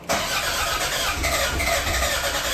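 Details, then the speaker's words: Toyota Gen5 3S-GTE engine, first start attempt, cranked with the EFI fuse pulled to prime fuel and circulate oil: an even, quick starter churn with steady compression pulses and no firing; healthy cranking with no fuel to start. "So what we're going to do is turn the engine over like 3 times just to get the fuel going, get the oil circulating, and then we're going to put in back the fuse, get fuel in, rolling through the motor, and hopefully it starts."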